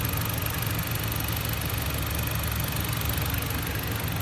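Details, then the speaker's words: New 2014 Jeep Compass at 436 km, at idle: fast, light, pretty loud ticking over steady idle; owner doubts it's normal, cause unknown, taking it to dealer. "I just want to record the sound here. It's a pretty loud ticking sound. That's pretty loud. I don't know if that's okay."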